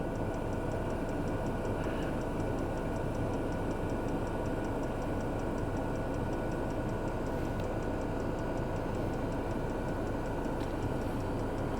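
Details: Chinese night heater in a camper van at full power, air at the source around 270 degrees; steady blower roar with fast, even ticking from the fuel dosing pump, running normally.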